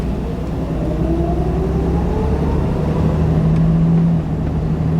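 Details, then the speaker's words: Jeep TJ Wrangler after swapping its knocking original engine for a lower-mileage 4.0 on a test drive: smooth deep engine note rising under acceleration with no knock; runs smoother and quieter than before. "So before you could, I've said this before, you could hear, like, it sounded like someone was knocking on the engine. And now there's no more of that. It runs so much smoother, it's quieter."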